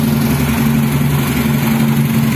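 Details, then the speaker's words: Yamaha Mio scooter with DC ignition, started off-frame on Pertamax fuel with homemade wiring and battery-fed CDI, intake manifold plugged: even, steady idle putter with constant low thrum, no knocks or misses; engine running healthy. "Oke teman-teman untuk sepeda motornya itu sudah nyala bisa teman-teman dengarkan untuk di bagian mesinnya"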